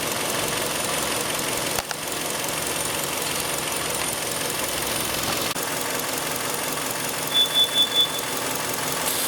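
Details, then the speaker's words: 2006 Hyundai Sonata 2.4L with lean-at-idle code P2187: carb cleaner sprayed at the intake manifold gasket at the head makes the hissy idle dip, stumble and misfire, proving a vacuum leak at the intake gasket. "So you can hear the car responding to that."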